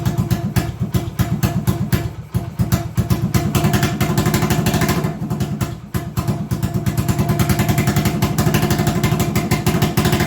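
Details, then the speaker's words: 1980 Honda XL250S: a fast single-cylinder idle that dips twice and picks back up, hunting and sitting too high. The owner suspects he turned the carb idle screw too far; not confirmed. "i remembered i adjusted the carb to make it idle that day and with the idle the way it is i wonder if i've gone much too far and now it's idling too high if i'm lucky that's the cause of this weird idol"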